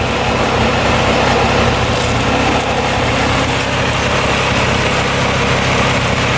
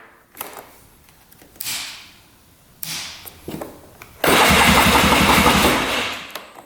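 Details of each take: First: 2002 Polaris Scrambler 400cc 4x4 ATV restarted without choke after sitting about an hour: steady, even idle with a smooth, unchanging note and no knocks or misses; single-cylinder engine running healthy. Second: 2002 Polaris Scrambler 400cc 4x4 ATV with replaced battery and repaired electric starter: several bursts of steady cranking at about four turns a second, each ending without the engine catching; cranks but won't fire, with spark, compression or carburetor still unknown.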